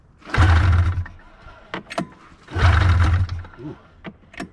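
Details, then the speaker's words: 1999 Arctic Cat ZR500 snowmobile with gas poured in by hand: two short bursts of firing, each dying within a second. It fires but runs only on the poured fuel, so the fuel supply needs fixing. "okay well good news she fires now we just got to get fuel to it and this thing is a disaster"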